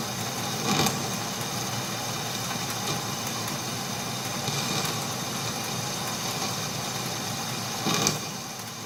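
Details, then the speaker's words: Boring the eccentric hole in a milling attachment for an Atlas lathe carriage; steady hissy cut with sharp harsh bursts as the boring tool hooks in, risking snapping it; tool chatter. "Ugh, see, that's the sound you don't like. Hooking on the tool."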